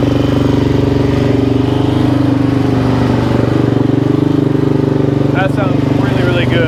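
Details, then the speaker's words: 2005 Suzuki LT-Z400 single-cylinder after valve train and head repair (failed valve guide job by another shop), restarted with idle turned up and a little choke: steady, even idle with firm low beat, no ticking or clatter; top end healthy. "so that sounds really good actually I'm super happy about that"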